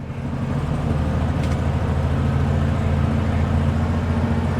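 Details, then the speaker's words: 1974 VW Love Bug (air-cooled) just after a cold start: a low, steady idle with an even beat that slowly rises as it warms. New exhaust taps the fender. A normal cold idle. "I'm going to let this thing warm up you can hear the idle slowly kicking up so that's good"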